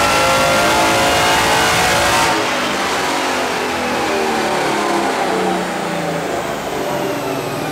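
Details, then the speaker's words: Mercedes E63 V8 with prototype supercharger kit, stock cams, on loaded Mustang dyno after 10-minute cooldown; pulls hard with only exhaust roar, no blower whine at all; healthy, almost 600 wheel hp, 650 lb-ft. "Hear the supercharge, like, not, you can't even hear it a little bit. Yeah, the exhaust is a little louder, but still, there's no whine whatsoever."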